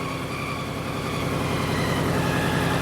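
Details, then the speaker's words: Car in for a head gasket job, started out of gear after being pushed. An uneven, lumpy idle with a regular stumble about 3.5 times a second, a misfire: it is not running on all four cylinders. Cause suspected, not confirmed. "Yeah, it's not running in all four, is it? What? It's not running in all four."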